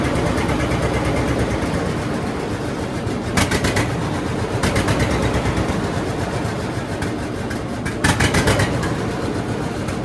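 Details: John Deere D two-cylinder tractor after cleaning and gapping spark plugs to 0.030 in to fix a misfire: slow, even thump with louder bursts under throttle, no misses, pops or backfires, some black smoke; sounds well tuned.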